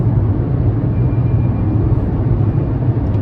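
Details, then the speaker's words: Volkswagen Lupo on the motorway in fifth gear with the foot down: a deep steady droning gearbox hum, always present under acceleration. The previous owner warned of it and suggested an oil change might cure it. Cause unknown. "That gearbox noise, very, very odd. I was warned by the previous owner that it did make that noise"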